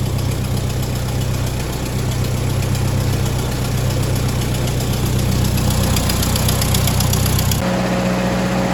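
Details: Ford 961 Powermaster tractor after ignition repair; it had previously been firing only one cylinder randomly. In neutral: a steady low thump with even firing and no misses, settling smoothly; normal idle.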